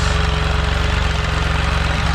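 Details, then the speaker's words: Can-Am Spyder RT at warm idle after a service (Amsoil oil, HCM/transmission filter, oil filter and fuel filter): a steady, even low putter with no misses, knocks or ticks. No leaks were found on the HCM filter, transmission or motor. "It's been warming up for a little while. I'm just checking for leaks."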